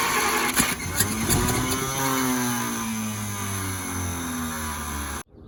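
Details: 1950 Packard barn find, unrun about 40 years, with gas poured into the carburetor: the engine cranks and briefly catches, pitch sagging and fading before it dies. It won't keep running; cause not confirmed.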